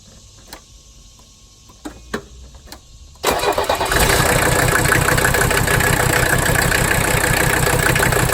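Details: 1985 Mercedes 300D diesel idling in drive with the parking brake on and the AC running for load, while the rack damper bolt nut on the injection pump is bottomed out; brief cranking, then a wavering diesel idle; rough idle.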